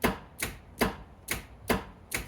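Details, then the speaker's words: F-body hatch release with its switch removed and the connector jumped across: six sharp, evenly spaced solenoid clunks about every half second show the actuator works; the fault was a connection issue, not the switch. "Take this out and then go from one connection and one connector to the other side. And if you hear that unlocking sound,"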